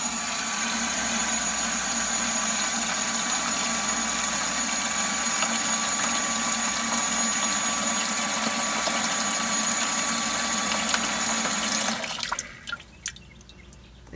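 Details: Aeromotive 340 electric fuel pump in a stock Pontiac GTO fuel bucket, powered directly from a jump box with about two gallons of fuel: a steady high buzzing hum with a fine even whine until switched off; it pumps normally, flushing black carbon-filter debris.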